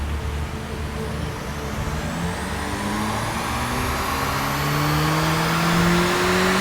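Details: Toyota MR2 on dyno with upgraded turbo, new ECU, water-to-air intercooler, new coils, injectors and fuel system, full-throttle power run making 132 kW: note rising smoothly and steadily through the revs with no stumbles; normal.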